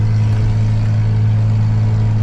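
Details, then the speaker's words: Plumbing work truck heard from the cab while driving: loud, steady low droning roar, deafening and far louder than a sealed exhaust; owner says there is a horrendous exhaust leak he still has to find and patch. "Gotta find this exhaust leak so I can fern coat it. It's horrendous."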